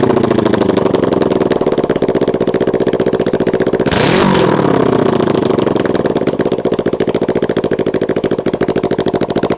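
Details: Kawasaki Ninja 650 parallel twin misfires, pulsing unevenly with a quick blip then a lumpy, missing beat, running on one cylinder when letting off the throttle and sometimes randomly.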